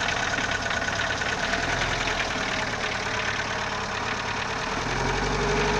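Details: Idling CHT engine with a loose, uneven tapping knock about three per second over the hum, source unknown; valves already adjusted, timing belt replaced and bottom-end clearance checked, owner still unsure of the cause.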